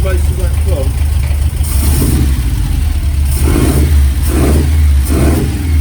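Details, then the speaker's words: Ford experimental prototype Corsair GT with fuel-injected Essex V4, first start in 1.5 years, idle being adjusted without the air filter: steady low idle with a light, even alloy timing-gear whine and a few blips; healthy. "problem is it always ticks over slightly different without the air filter on [Music] you can hear that lovely alloy climbing gear"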